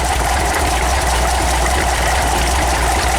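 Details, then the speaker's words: Warm VW 1800 air-cooled engine, about 800 rpm, carburetors untouched, idle dropped after a 1.1 to 1.4 change, before it later blew up; low, uneven lumpy idle with busy valvetrain clatter, rough idle, cause not confirmed. "it's a little rougher idle I all right you can see the idle I never touched the carburetors the idle did come down when I went to the one point force from the one point one"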